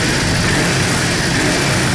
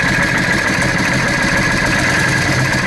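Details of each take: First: Yamaha Drag Star 650 V-twin after new intake boots, TPS adjustment and vacuum-gauge carburetor synchronization: strong, steady note holding even without stumbles or surging, sounds and accelerates much better than before; normal idle and revving. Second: Yamaha Drag Star 650 carbureted V-twin, spark plugs white from lean running, before intake boot replacement: uneven, slightly hunting idle with a loose, irregular beat; intake manifold air leak through cracked intake boots causing lean idle.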